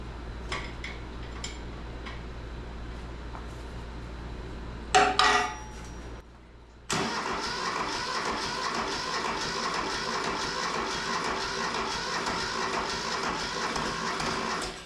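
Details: Neglected, rusted Mitsubishi MT372 diesel tractor pulled from the weeds: steady starter cranking with uneven chuffing for about eight seconds, nearly catches but never fires and runs; cause not confirmed.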